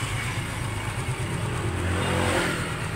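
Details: 3-year-old Suzuki Smash after overhaul and decarbonizing for stalling and poor idle: clean, even revving with steady firing and no misses or hesitation, engine quiet and healthy.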